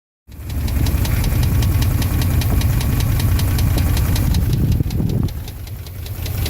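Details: 2002 Dodge Dakota 4.7 V8 at idle: sharp metallic ticking about four times a second rides steadily over a deep, rough idle, a clear knock from inside the engine.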